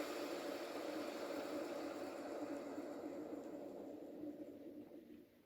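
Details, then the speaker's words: Hand-spun Better Bearings roller-skate bearing, the most recent one to fail early: a rough, gritty, loud whir that slowly fades as it coasts down. Noisy bearing needing cleaning or rebuilding. "That one's okay, but you can hear it's quite loud. This is the first one to go."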